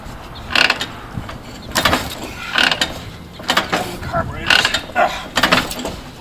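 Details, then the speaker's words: 1949 Harley-Davidson Panhead, original paint: repeated kickstart strokes, about one a second, with no catch or firing. Hard starting, won't fire on kickstart; owner blames gum in the carburetor from lack of riding and runs fresh gas. "that was not the motorcycle's fault they have to be ridden be ready get out get the gum out of the carb you know with fresh gas novel concept fres gas"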